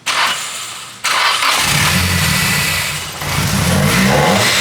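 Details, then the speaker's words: Nissan Silvia S14 SR20DE converted from naturally aspirated to turbo; injectors and intercooler not yet fitted, won't rev past about 3000 rpm. Cranks, catches and revs with a loud rushing intake roar and no turbo whistle or spool. "You still can't hear the turbo noises, which is kind of upsetting, but it had a crazy amount of intake noise. Sounds sick though."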